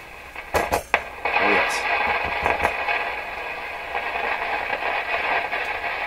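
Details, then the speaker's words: Rogers 11RA651 shortwave tube radio, volume turned right down: steady hiss with sharp crackling bursts each time the chassis is knocked, a shock-sensitive intermittent connection; owner suspects a loose wire underneath, or possibly a tube grid cap problem. "this sounds like a loose wire or something underneath that's what it sounds like to me"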